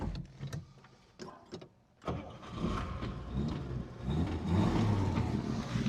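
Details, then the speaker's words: One-owner 1955 Chevrolet Bel Air with 235 inline-six, never rebuilt, 17K original miles, 3-speed manual, single exhaust: a few clicks, a brief crank, then it catches cleanly into a smooth, even idle; no smoke, very quiet. "There's no smoke coming from the rear. Single exhaust, very quiet."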